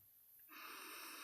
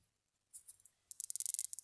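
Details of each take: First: Pink-ring rechargeable ozone generator hacked to run directly on 5 V USB with no battery, drawing 30 mA: quiet, then an even, steady high hiss at switch-on with no crackle. Trace ozone smell. Normal corona discharge. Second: Pink-ring rechargeable ozone generator that started fine, then failed: after a silent start, fast irregular sharp snapping crackles with little ozone smell. High voltage is arcing near the surrounding metal mesh.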